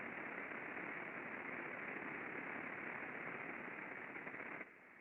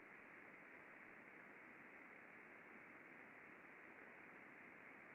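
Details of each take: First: Industrial bearing heard through an ultrasound lubrication instrument during greasing: a loud, rough hiss from the under-lubricated dry bearing drops sharply and goes quieter as grease reaches the raceway, showing reduced friction. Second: Bearing checked with ultrasound after greasing, with grease reaching the raceway: smooth, even hiss with no friction clicks or impacting and a stable waveform, a healthy well-lubricated bearing.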